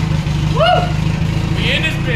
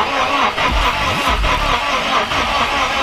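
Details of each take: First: K24-swapped Mazda RX8 after uploading a newer tune, coolant filled, small leak: engine runs steady and even with no misses and revs up much better, sounding healthy. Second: K24-swapped Mazda RX8 cranks steadily, about two beats a second, but never catches: no start because the original K-series coil packs were fried; fix was fitting LS coils with the pins swapped, after which it started. Crank sensor hooked up, cam sensors not.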